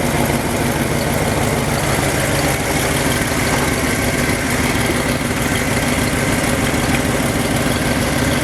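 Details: Ford F250 after fuel pump work, idle dropped to about 900 rpm (spec around 800): smooth steady low idle, even beat, no ticking, surging or hunting. Running well, likely on IAC.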